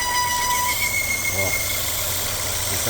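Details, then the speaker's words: 2018 Volvo V40 T4 2.0 turbo, engine running: thin high whistle from the PCV valve diaphragm on the oil separator atop the valve cover, stopping when pressure is released or air is let in; torn diaphragm leaking air, to be replaced. "se eu dei entrada de ar na tampa aí ele já para o barulho Então a gente vai trocar essa válvula a película da válvula beleza"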